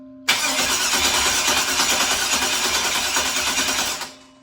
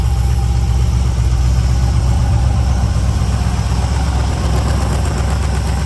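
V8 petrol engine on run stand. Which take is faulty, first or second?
first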